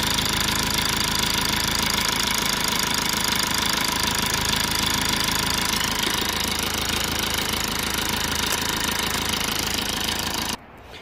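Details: 2008 Lexus IS220d diesel after fault repairs: steady even diesel clatter at idle with no misses, hunting or surging, runs normally; battery charging absolutely fine.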